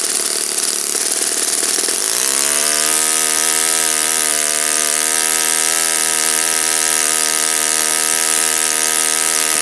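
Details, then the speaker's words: Saito FA-56 four-stroke glow engine, first run after cleaning and bearing replacement, 12x6 prop, OS F plug, 5% fuel, static thrust test: high raspy buzz climbs sharply then holds steady and even; running normally. "It's a looks like a relatively moderate time engine. As you can see, it runs like a champ."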